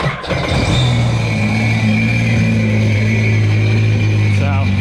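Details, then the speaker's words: 2005 Sea-Doo RXT, modded supercharged 4-Tec Rotax 215HP engine, restarted to clear excess water after de-winterizing, burning off fogging oil from the cylinders: steady even low drone with no ticks or odd noises, running healthy. "see how the rest of the rest is burning off all of the fogging oil that were in the cylinders you notice [Music] no odd noises coming from the engine [Music] ticks or anything like that"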